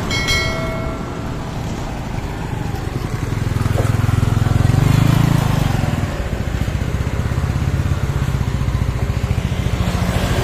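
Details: Yamaha Mio Sporty scooter after repair for lost compression (leaking valve or piston rings blamed): steady idle, smooth rev rising and falling, even idle again, no stumbling; engine smooth, no smoke, stable idle, exhaust leaks.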